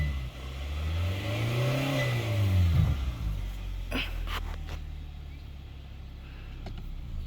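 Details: 2022 Kia Sorento 2.5L started after an oil and filter change with about 6.1 quarts, raised up in the air: a short rev rise, then a low, even idle with no knock or tick while oil pressure is checked. Normal idle.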